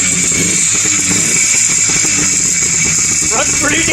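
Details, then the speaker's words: 1957–58 Berkeley SE328 barn find with a serviced Excelsior two-stroke twin, first run after years parked: steady, lawnmower-like buzz with no knocks. It sounds good, though it needs a tune-up. "sounds good yeah man it i mean it sounds like a lawnmower"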